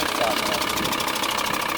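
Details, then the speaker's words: 2000 VW Transporter T4 at idle after an oil change to 10W-40 semi-synthetic with hydraulic lifter additive: harsh continuous scraping rasp; newly fitted timing belt hydraulic tensioner does not fit properly and rubs on its cover. "вот этот жуткий звук, который вы сейчас слышите, это трет гидрогаситель, трет на крышку."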